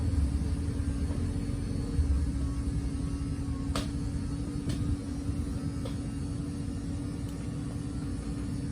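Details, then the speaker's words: 2018 Cardinal 3825FL: the sofa slide-out motor gives a steady, low, constant hum throughout, with no catches or grinding; normal operation. "then once that's out all the way we'll just kind of here someone comes from the motors and that's it"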